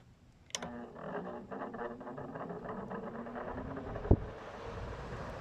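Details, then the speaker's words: GE (Haier) air conditioner fan motor after replacing a cracked rear fan blade: motor groans and labours spinning up, then settles to an even hum with one sharp tick; sounds fine once running; rotor sitting off-centre. "This one fits perfect. Now I turned it on and it's making like a weird startup noise."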